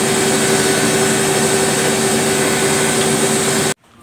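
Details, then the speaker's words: Lux Royal WH 1090 front-loading washer spinning at only 600 rpm, drum bearing already replaced: loud, rough roar with a steady mid-pitched hum. The motor bearings felt rough by hand and were replaced (front 6201, rear 6202). "Ini keluar mesinnya suara berisik. Kemungkinan dari bearing dinamonya."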